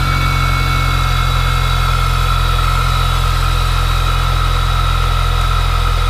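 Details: Mini Cooper S R53 at cold-start idle: steady even low tapping knock at engine speed that vanished almost immediately, later constant rattling from 2k rpm; owner suspects big end bearings after possible low oil from oil cooler leak, unconfirmed.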